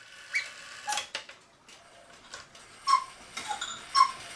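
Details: 1940 Lux cuckoo clock tested before repair at the half hour with the case side off: light, uneven ticking and short whistle notes near 1 kHz; it sounds slightly funny without the side but is judged fine so far.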